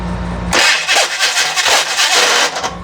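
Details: Rebuilt FC engine on its first start attempt: harsh, pulsing grinding all through cranking and it never fires, as the starter gear doesn't mesh cleanly with the flywheel. The starter and solenoid were then replaced.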